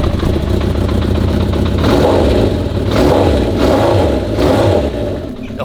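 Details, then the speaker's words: 1982 Honda CB750F four-cylinder being built into a flat tracker: revs rise and fall unevenly with lumpy, hollow exhaust beat; one cylinder not running, misfire, checked by spit on exhaust pipes; spark plug or plug cap suspected. "So one of the cylinders wasn't running hedder det. And one of the cylinders wasn't running."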